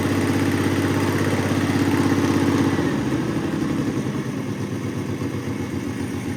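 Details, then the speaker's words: Car sitting almost 20 years, no radiator, run on a spritz of fuel with no fuel system: catches and settles into a quick, slightly uneven putter, then eases down; runs again, oil pressure about 40-42 psi. "Holy shit, it runs. Can't let it run very long."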